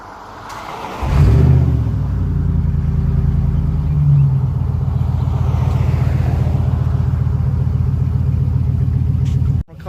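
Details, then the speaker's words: Dodge Dakota 4.7 V8 started with the broken exhaust removed, running open with just pipe: catches after a second and settles into a deep, loud, uneven burble; owner says it doesn't sound bad but runs too rich without exhaust. "I really doesn't sound that bad considering its a 4.7 v8 with nothing but pipe on it I like it"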